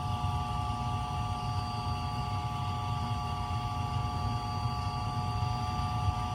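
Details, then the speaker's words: Septic tank aerator air pump, noisy motor replaced, running: steady even hum with constant mid-pitched tone over low rumble, no knocks or surging; it cycles on and off aerating the tanks; normal running. "What that does is pumps air into my tanks and stirs up the toilet paper and the poop, and then turns off, and everything settles to the bottom, and then turns back on and does it all over again."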